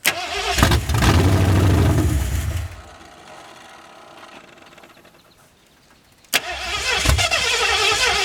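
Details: 1981 Mustang 5.0, off the road since 1996: starter churns about four beats a second, stops, cranks again with no firing; crank-no-start because the fuel tank petcock was left closed, starving the engine of fuel.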